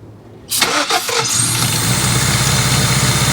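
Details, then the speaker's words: Engine started with brake cleaner sprayed in while working the throttle: a few cranking bursts, then catches into a steady, slightly uneven idle; hard starting, owner suspects low on gas. "Seems to run now. Maybe we're just low on gas."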